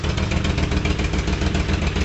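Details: Moto Guzzi V50 started from cold: steady, even low throb with a regular beat and no knocks or misses; normal idle.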